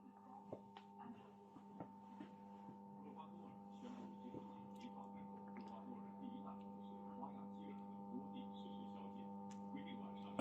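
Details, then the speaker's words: Vacuum tube radio after cleaning, powered up with the speaker soldered on as a load: a constant low mains hum with faint buzz comes from the speaker, and no stations are received; the fault lies between power amp and preamp, with the replaced capacitors suspected. "那我们从这个音箱中能听到交流声，是不是？"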